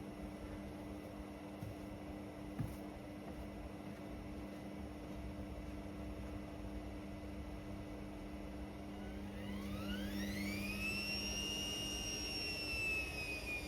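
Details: Indesit Innex XWSC61252 washing machine, previously not draining, test run after filter cleaned: low steady hum, then motor whine climbs smoothly as drum speeds into spin, no grinding or knocking; normal spin, speed dipped on high-speed motor coil.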